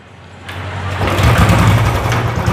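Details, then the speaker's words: Motorcycle started on normal clean petrol, before water is mixed in: fires cleanly and settles to a steady, even low thump with no misses or rattles; healthy baseline start and idle. "तो अ बीमारी गाड़ी side को है बिल्कुल normal को कोई meeting कोई problem नहीं है फिर फर्स्ट क्लास होती है ठीक है"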